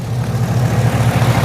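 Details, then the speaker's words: 2011 Chevrolet Camaro SS, LS3 6.2, straight exhaust with long-tube headers, first start after a battery recharge: steady, deep, even idle with no ticking; the earlier noise and shake are gone, oil pressure 30 at idle. Normal idle. "barely bumped it and it fired right up so it's alive and no more noise so that was uh definitely the problem"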